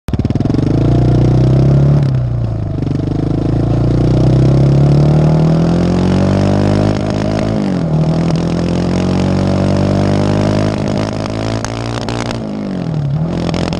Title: Yamaha raptor misfire